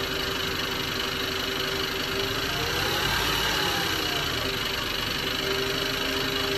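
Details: Ford FG Falcon engine at hot idle: fast, light tick about three to four per second, like lifter noise but seeming to come from below the valve train; it starts only after the engine warms up.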